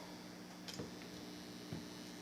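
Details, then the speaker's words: Speaker fed by a power amp from an unbalanced preamplifier: steady low electrical buzz with a couple of clicks; 60-cycle mains hum picked up by the unbalanced preamp and amplified. "is unbalanced amplifier it's picking up 60 cycles sending it over the power amps getting amplified sent to the speaker"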